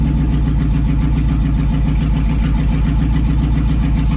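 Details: 2002 2500HD parts truck, 622,763 miles, long sat on old gas, in park, just started; oil pressure came right up, no check engine light, over 40 psi; deep even V8 idle, no knocks, ticks or misses; healthy.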